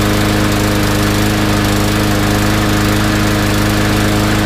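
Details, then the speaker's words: Yard Machines single-cylinder mower after draining stale gas and cleaning the carb: steady but slightly uneven, hunting buzz; white spark plug tip shows lean running, starved for gas; carb jet suspected undersized, to be cleaned or drilled. "look at how white the tip is that means it's burning quite lean so it definitely is uh starving a little bit for gas"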